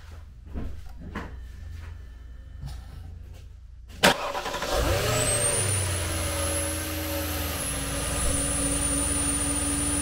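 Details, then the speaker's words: 2013 Porsche Cayenne S 4.8L V8 at startup: loud high hissing over idle from a vacuum leak through a withered, torn air-oil separator diaphragm; MAF implausible codes and check engine light. "so as you can hear from the startup of this one it actually has a pretty big leak it's trying to draw air in there and you can hear that uh loud hissing noise"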